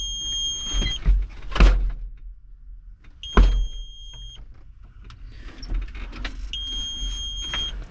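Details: Tractor cab in hot weather, shortly after the fuel pump kicked on and the battery disconnect was checked. Repeated high electronic beeps of about a second each come in irregular bursts among clunks. The warning alarm's cause is unknown; the blower fans are not working.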